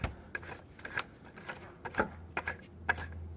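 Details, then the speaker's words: BMW E90 325d/330d M57 diesel, AC compressor clutch pulley turned slowly by hand: light uneven clicks about twice a second, the classic small play of a compressor pulley; noise unchanged with compressor on or off, not the belt squeal source. "bueno Este es el sonido clásico de una polea de compresor"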